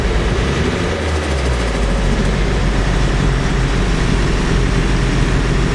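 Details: Cold Nissan S14 SR20DET, freshly rebuilt with OEM parts, starts perfectly but runs pig rich with black smoke. It idles low and uneven with a lumpy, unsteady rumble, shaky at any steady rpm: rough idle misfire.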